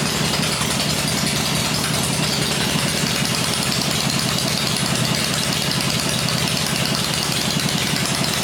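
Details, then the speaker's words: 96-cubic-inch V-twin with Edelbrock heads, first run on an engine stand using a little choke, with 40 psi oil pressure; fast, even idle with busy mechanical clatter but no heavy knock, quiet overall; normal idle. "well that sounded all right there yep Idols are way down on this question so now I'm just going to let it cool and then we'll run it again that sounded okay though yeah sounded good nice quiet"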